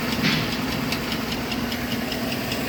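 Idling engine with a light, regular tapping about four times a second riding over a steady hum; sounds like an engine knock, cause unknown.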